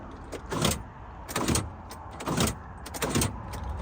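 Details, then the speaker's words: 3.5-litre V8 Range Rover Classic standing 21 years: turning the key gives four quick clunking door-lock motor bursts about a second apart with no crank and no fuel pump prime; an immobilizer is suspected. "When you turn the key, the door locks go up and"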